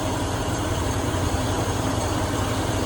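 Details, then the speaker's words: Truck, low even idle with smooth steady beat, no knocks or misses, faint electric fan hum; Chevy alternator upgrade; normal idle. "Running like an old clock, bro. Wouldn't be for that electric fan that I put on it, you wouldn't even hear it run."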